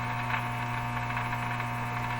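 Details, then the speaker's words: 1935 Rogers Model 7R622 tube radio after replacing last capacitors: constant low droning hum with steady buzz and no programme audible, owner plans to recheck the power supply; loud mains hum. "it's still a terrible hum in this radio listen to that that's a bent bench bench shaker"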